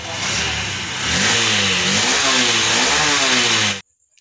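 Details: Honda SP BS6 motorcycle, 3381 km, after replacing the faulty injector that caused missing, stalling on pickup and hard starting: engine picks up cleanly and drops back smoothly through rev blips, steady firing with no misses; normal revving.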